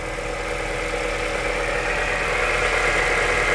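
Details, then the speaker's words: Cold idle on a Honda CR-V 3 2.4 after fresh Rolf oil plus a can of thick additive: steady light tapping about three per second persists, louder on one side, unchanged by thicker oil; engine knock of unknown source. "всё равно стук прослеживается двигателя То есть как бы я так думаю что ничего не изменилось от густоты масла и от этой присадки"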